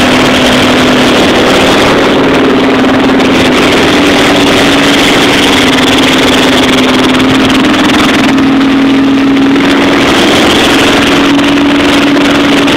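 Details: Chevy 350 V8 in a school-built T-bucket, first start-up after rebuild: steady idle with a gentle rise and fall in pitch as it revs lightly, running evenly with no knocks; normal running.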